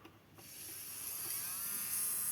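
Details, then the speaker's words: Nailmaster BQ202 nail drill, 220 V input, after replacing a leaking 2200 µF 25 V capacitor (plus two others) on the board that made it start and stop erratically: smooth, steady high whir clockwise and anticlockwise, no cut-out into protection. Repaired, normal running. "Come potete sentire funziona tranquillamente sia in senso orario che in senso antiorario. E non va nemmeno in protezione."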